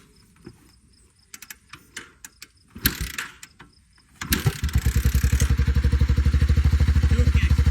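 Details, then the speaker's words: Honda Big Red three-wheeler single after its tight valves were adjusted, following a previous day of failed kicking: kick-start clicks, then it fires into a crisp, even thumping idle with no ticking, though a little smoky. Normal running. "All that kicking yesterday. tight valves. This engine sounds good."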